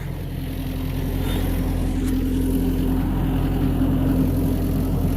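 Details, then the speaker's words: Diesel excavator just started after a cold-start struggle at about 0°F, with frozen hoses and heavy soot: a steady, even rumble with a constant low drone and no misses or knocks; running normally. "Oh well, she started. That's what's fucking important."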